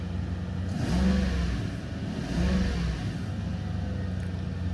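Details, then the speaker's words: 1997 Toyota Celsior V8 UCF21, still cold in warm-up mode: two light throttle blips rise and fall cleanly over soft idle, no loss or stumble; normal free rev, held back until warmer. "we'll let it warm up a little bit more before getting too aggressive on it."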